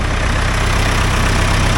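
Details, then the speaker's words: 1975 Case 580B loader backhoe after annual service: deep, steady diesel idle with even low throb, no knocks, rattles or hunting; sounds much better, healthy. "so doing basic maintenance like this keeps her ticking so and it sounds a lot better listen to"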